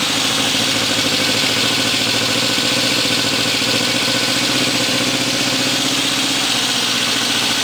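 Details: Restored 1972 Honda CB750 K2 Four, first start with temporary gas tank, new chain and four new exhausts: smooth, even idle with steady hum and crisp exhaust note, no knocks or misses; sounds healthy, normal idle.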